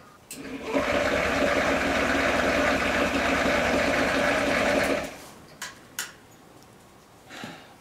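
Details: Cheap used Honda Ruckus scooter, battery borrowed from another vehicle: rapid, even churning about three and a half pulses a second for four seconds, then stops; starter turning the engine over before it first runs.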